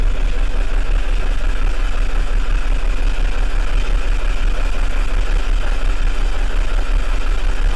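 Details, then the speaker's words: BMW 323i 2.5 inline-six idling: uneven lope with a stumble about three times a second; misfire code set for cylinder 4 only. "so I've got to start it out for this running you can probably hear the misfire in it"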